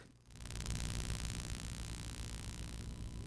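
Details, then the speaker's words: Pyle PMX7BU.5 audio mixer powered through an inverter with AC EMI filter fitted; low steady hum with hiss under the audio, no rhythm; stops when a hand touches the box, pointing to an earth/ground loop. "But when I put my hand on the box, this is what I'm saying is an earth issue. It stops humming."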